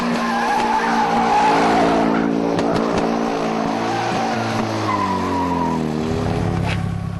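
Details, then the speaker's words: Drag car doing a burnout: under load the engine note stumbles and breaks up unevenly over tire squeal; misfire, and pulled spark plugs show two tips almost entirely melted away. "Nathan finishes off with a burnout, but listen to the engine note and you'll hear some problems."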